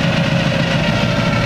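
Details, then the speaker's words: Supercharged engine with Weiand roots blower and two AVS2 carbs, during carb tuning, idle screws evened and idle raised from 400 to about 800–900 rpm, ~14:1 air-fuel, 60 psi fuel: deep, even idle, running smooth as silk. "probably just have to bring the idol up a little bit it'll probably smooth it out all right sounds like it's running smooth as silk"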